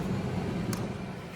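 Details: L.B. White Guardian farm heater after repair troubleshooting: hot surface igniter lit, fan ramped up, gas valve opened and flame established with flame sensor holding. Steady, even low rumble of fan and burner, no surging, dropouts or rattles; running normally.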